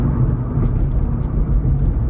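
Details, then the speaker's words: Honda Civic after wheel bearing replacement, driving at 40 mph and through a turn: steady low road rumble with no humming or growl from the wheels; bearings quiet and healthy. "hit 40 and it sounds good now we're taking a turn yeah absolutely no humming sweet juice"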